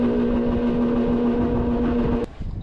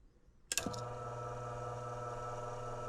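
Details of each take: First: Brand-new HVAC blower motor with new mounts and capacitor on the red speed wire: a loud, steady mid-pitched droning hum, probably the worst of all speeds, then an abrupt cutoff. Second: Blower motor newly replaced after noisy old one, same capacitor, running on low speed: clicks on, smooth steady low hum with no rattle or wobble, switches off cleanly; healthy, far quieter than before.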